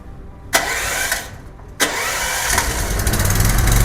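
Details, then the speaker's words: Petrol generator cold start with choke on start and fuel tap opened: two starter pulls with sharp cranking bursts, then catches and, choke moved to run, settles into a steady, even run; healthy start. "Yongandan keyin patsosni bu положениyaga o'tkazamiz. Run. Bir xil stabil ishlashni boshlaydi."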